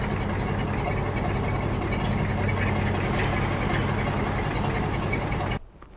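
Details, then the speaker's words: Barn-find Massey Ferguson tractor, sat for years, just started easily: steady low diesel clatter at an even idle, no misses or knocks, smooth and healthy; normal idle. "all right it sounds pretty smooth it does run good don't yeah"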